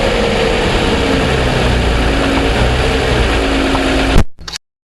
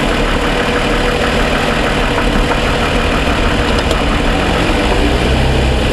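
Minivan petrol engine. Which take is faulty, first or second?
first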